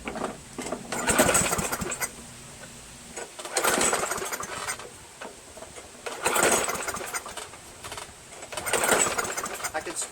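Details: Free Craftsman push mower, 158cc Briggs engine: four rope pulls about 2.5 seconds apart, engine spins but never catches. No-start caused by the missing throttle governor spring; carb diaphragm gasket also worn.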